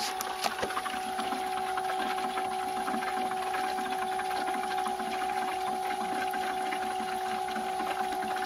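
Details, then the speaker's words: Home-built 12V RV transfer pump in a fifth-wheel bay, powered by a 12V 19Ah lithium battery and moving gray water into a blue tote: steady, even mid-pitched motor hum with no surging or knocking; normal operation. "Okay, the way it's working right now is it's coming in from this pipe, which is most of the water from the gray pump. And it's being pumped into the blue, as you can see, the water in the bubbles."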